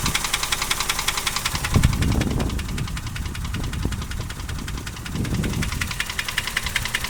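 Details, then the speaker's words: Toyota 1KR-FE three-cylinder engine knocking with a sharp tick about 3.5 times a second over an uneven idle; the idle shakes because the ECU has not relearned after a reset and the fuel is poor. Power and acceleration are unaffected, and the cause has not been found. "Оно стучит, оно точно стучит. Однако это не влияет на ходовые качества. Ускорения нет, и мощность не снизилась."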